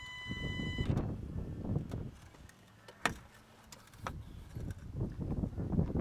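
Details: 2010 Kia Sorento XM 2.2L diesel: thin steady electric buzz from the swirl control actuator after key turned from on to off, which lasts about 20 seconds, here cutting off to a low rumble; owner seeks a fix.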